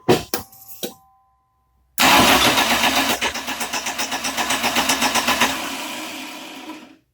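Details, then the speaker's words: 1989 Dodge Daytona 2.2 converted TBI to turbo, first start attempt: after a few clicks the starter spins the engine steadily at four beats a second but it never fires; spark present, distributor installed 180 degrees out. "Distributor was on backwards, so change that."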